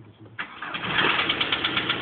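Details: 1999 VW Golf TDI diesel, cold start after sitting: starter turns briefly, catches first time and settles into steady even clatter; clean normal cold start.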